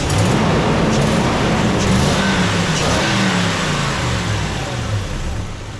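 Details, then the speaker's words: 2006 Toyota 4Runner 2UZ-FE V8 after timing belt, water pump, tensioner, idlers, serpentine belt, alternator, radiator, hoses and coolant replaced: smooth even rumble through light revs, no knocks, ticks or rattles; normal running. "All right, so aside from hearing the engine run really well and fire right up, my favorite part of a timing belt job is to put the sticker on."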